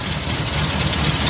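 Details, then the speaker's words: Car engine idling unevenly with a lumpy, stumbling beat; plug leads pulled one at a time, and pulling number 4 changes nothing while number 1 makes it worse, so the misfire is traced to cylinder 4. "tapi Cappucino 4 jabut suaranya tetap berarti yang menyebabkan pincang adalah bukti nomor 4"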